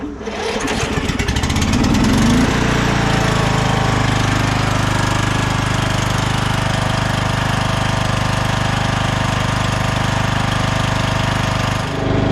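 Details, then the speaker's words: 2001 Cub Cadet 1170 lawn tractor on a jumper pack: it cranks and catches, then runs loud with a rapid metallic clatter of three or four a second from the transmission, reportedly a blown gear; the pedal feels rough. "engine though sounds really nice and it does drive as you could tell but it does not feel good you can feel some things in the pedal you can hear some metallic clanking going on in the trans"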